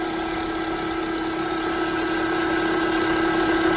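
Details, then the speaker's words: 2011 Toyota Camry: a loud steady high whine and vibration under the hood every time it starts, pitch unchanging at idle; traced to a worn alternator bearing with a rusty pulley, fixed by replacing the alternator. "Customers state that every time you start the car, you hear some loud whining noise underneath the hood."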